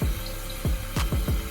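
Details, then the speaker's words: Toilet after replacing the fill valve (old one shook the wall on flushing): steady trickle with quick bubbling drips, no hiss or vibration as the tank refills; no leaks, fill valve working normally. "that's a good sign there's no leaks there's no water it's still filling up right now so that's a great sign"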